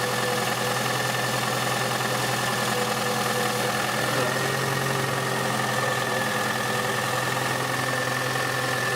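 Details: Toyota Highlander 2.4L 2004, 225,000 km, at idle: light, quick tapping knock about three per second over the engine hum, in the area of cylinders 3-4; inspection found worn piston pins in the third cylinder, piston pin knock.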